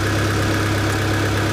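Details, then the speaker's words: Honda D-series (D15B/D16) four-cylinder started after setting cam timing: smooth, even idle with a steady low hum, no misses, ticks or slaps, and good throttle response. Timing is correct. "well she seems to run pretty smooth timing must have been right where it needed to be"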